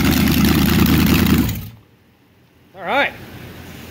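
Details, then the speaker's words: 400ci small-block Chevy V8, auction find, good oil pressure and timing set: deep, even rumble running steady for about a second, then cutting off, no knocks; normal running. "uh she ran pretty well we got good oil pressure"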